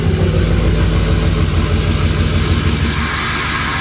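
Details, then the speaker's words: Ford 6.0 Powerstroke diesel started still a little cold with the VGT turbo switch on, so the turbo works normally. Steady, even cold-idle diesel clatter with no squeak. Normal cold idle. "All right, so I'm gonna start the truck with the turbo switch on, so the turbo should be working as normal. Still a little cold."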